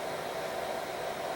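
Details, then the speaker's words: Power Mac G4 Mirror Drive Door "windtunnel", dual 1 GHz, 256 MB DDR, 80 GB HD: steady loud airy roar with faint mid-range whistle, no speed change; heat output getting hot; loud cooling fan roar. "But uh you can definitely hear it's making quite the noise."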